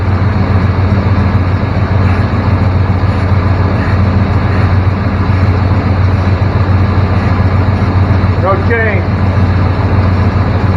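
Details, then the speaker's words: 1994 Chevrolet K1500 Blazer after repairs for a 1500 rpm high idle: steady, even low rumble at about 1000–1100 rpm with no misses, surges or hiss, idling smoothly at correct speed. "we're at about a thousand to 1100 rpm which is where this should be same spot"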